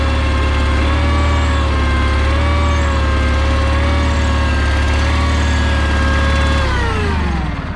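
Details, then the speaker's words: John Deere 318 lawn tractor after easy no-start fix (oil full), key start: even steady two-cylinder idle with a smooth low beat, then a clean wind-down at shutoff; runs normally. "Just super easy. Turn the key. Fires right up, no problem."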